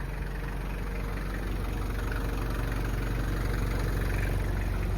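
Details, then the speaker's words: 1995 Toyota Land Cruiser KZJ73, 3.0L 1KZ-T mechanical-pump turbo diesel, hood closed, heard outside. Steady, even diesel clatter at idle with a smooth low rumble and no misses or knocks; "just purring." Normal idle. "It's a 3-liter. And you can hear it just purring here."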